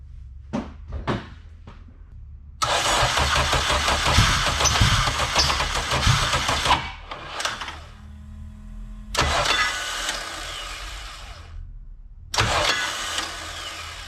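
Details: K24 AWD-swapped Honda Civic with freshly machined built engine, new valves and springs, just after setting valve lash: several cranking bursts with short pauses, engine never catches; crank no-start, cause unconfirmed.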